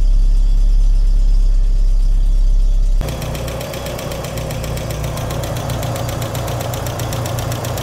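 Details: VW Corrado G60 engine, cold start idle after many parts changed: light even tick about four per second over a steady engine note; owner points to a collapsed hydraulic lifter, to check next.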